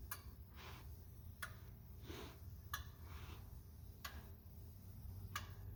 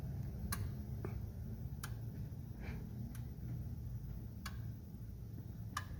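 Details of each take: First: 2004 Ford 6.0L Powerstroke diesel with rough running, scanner injector self-test: faint sharp clicks about every 1.3 s over low hum, but number two injector stays silent, a dead injector; no code was set for it. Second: 2004 Ford 6.0L Powerstroke diesel with rough running: scanner electrical injector self-test after an injector is installed and plugged in, before oil rail goes on; sharp evenly spaced clicks about every 1.3 s as each of eight injectors fires, all working.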